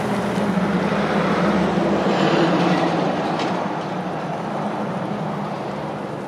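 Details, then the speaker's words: Original 1967 Chevrolet Camaro RS/SS survivor, numbers matching, 64,130 original miles: the V8 fires up and settles into an even, deep rumble with no knocks or misses; a healthy start and idle. "You'll hear it start, hear it run."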